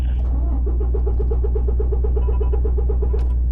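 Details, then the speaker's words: Prime semi truck with transmission fault, hill descent/ascent and ABS codes: on key turn a deep steady drone with quick even ticking about four a second and no cranking; gets power but won't turn over. "so the truck is getting power one second whenever I turn the key over to start it all it's doing is this mhm"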